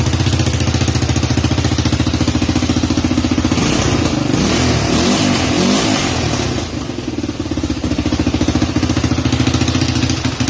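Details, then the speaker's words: Rebuilt Honda 300EX single cylinder running: a sharp puffing tick at about three and a half beats a second from an exhaust leak at the donut gasket. The only donut was bent, so the leak was left as is. "Exhaust is still has a leak right at the donut. I had one donut, it got bent, so that's as good as it's gonna get."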